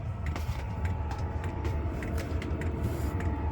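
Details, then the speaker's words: Heating system on a narrowboat, after running about 10–20 minutes: a low rumbling roar that swells and fades unevenly every second or so, with scattered clicks; the heater keeps surging, cause unknown. "R for about 10 20 minutes 15 minutes keep surging can you hear that"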